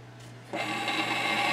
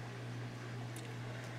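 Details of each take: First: Teac Nostalgia GF180 stereo with record player in phono mode, no stylus fitted: as the platter spins up, a dry hissing scrape starts and grows louder. The platter sits high on one side, rubbing on the stylus protector lodged underneath it. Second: Teac Nostalgia GF180 turntable after removing the stylus protector that was lodged under the platter: only a soft, constant low motor hum with no scraping. The turntable now runs nice and quiet.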